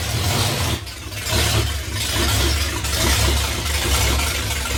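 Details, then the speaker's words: 1982 Ford F-350 with 302 V8 on open headers, turbo not yet fitted, running in garage after wide-open-throttle runs; loud, deep, steady rumble with even beat, no misses or knocks: normal running. "well that sounds pretty good it's loud oh I didn't check oil pressure did you see it no I forgot maybe it'll start"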